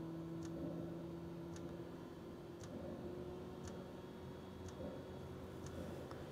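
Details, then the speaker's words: Planar/Autoterm 2D 12V diesel air heater, first test fire after install in a camper underfloor box: sharp, even ticks about once a second over a low steady hum from the dosing pump, heat coming through; normal start-up. "hopefully that's a good sign I'm feeling heat sounds like a jet engine taking off"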